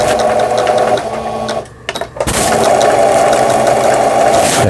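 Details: Old 220V-only Singer 7422 household sewing machine, after repair of a faulty upper-thread tension dial unit, final test seam: fast even whirring stitch rhythm pausing and restarting smoothly, no knocking or grinding; normal sewing.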